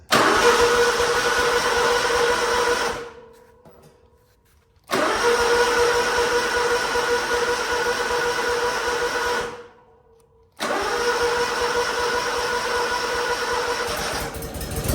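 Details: Lawn-service equipment (V-Ride) cold start in winter: engine churns in long bursts of about three seconds with dead pauses between, struggling to catch and settle; cause suspected, not confirmed. Hard starting in cold weather.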